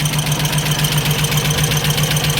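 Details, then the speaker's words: Ford Escort MK3 GLE petrol engine with carburetor, idling before warm-up: quick, light, regular ticking over a steady idle; source not found, owner plans to pull the valve cover. "Well, it's running better, but I'm not happy with that ticking noise. Something is not happy."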